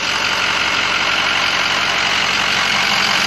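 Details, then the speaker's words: Hydrolocked 2007 Ford 6.0 Powerstroke diesel revived, after first test drive with air bled from fuel and oil systems, smoke gone: steady, even idle with smooth clatter, no misses or knocks; sounds perfect, normal and healthy. "Everything sounds perfect, normal, healthy. Not an ounce of smoke. Smells perfect."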